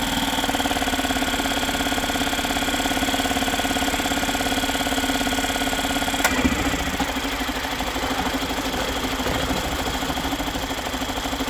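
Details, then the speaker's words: Yamaha 2.5 hp four-stroke outboard with a new aftermarket carburetor, started first pull: the small single ticks over at a steady, even beat around three per second; it idles smoothly and the carburetor works fine. "Not bad for a first time. Started right up first pull."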